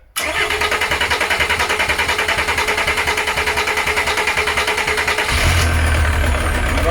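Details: VW LT35 camper van laid up four years, needs engine rebuild, Volvo alternator fitted, after priming fuel: several seconds of steady cranking, then catches into even, firmer diesel idle clatter; engine starting.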